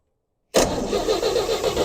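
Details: 1957 Chevy 3100 truck with a six and points ignition, after regapping the points to get spark: even cranking at about seven pulses a second with no firing yet; it has not caught.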